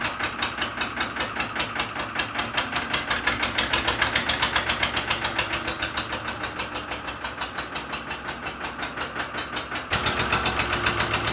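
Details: Cold first start of a flooded 3-cylinder Lister marine diesel, heavy throttle while moored: clattery beat about two and a half firings a second, uneven and wandering in speed, a rough hunting idle. Air in the system or water in the crankcase suspected.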